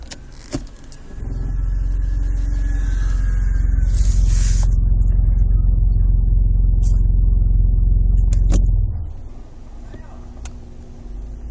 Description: grinding noise from bottom of car during gear D or R.